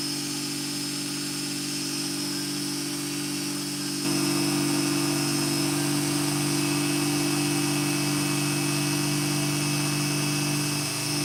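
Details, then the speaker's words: Hair clipper with a freshly sharpened barber's blade: steady even buzz with constant pitch, no rattle or chatter. Blade-drive socket judged fine, no adjustment needed; blade seated and running smoothly. "Let's see how this one sounds. Not bad. So we're not going to adjust the socket on that one. That one sounds pretty good."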